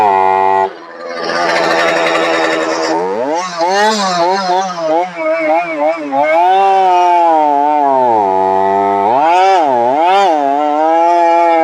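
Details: Brand-new two-stroke chainsaw before cleaning and switching to Cerma products; tone repeatedly sags and recovers under load instead of holding pitch, bogging down quite a bit.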